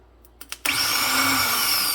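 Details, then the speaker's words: 2007 Mazda B4000 automatic no-crank with recently replaced Remy reman starter, motor terminal jumped directly: steady high whir starting abruptly, motor spins freely and sounds healthy, but the solenoid has failed (no action from S terminal). "Now the starter motor does run the motor itself, so the solenoid's either failed."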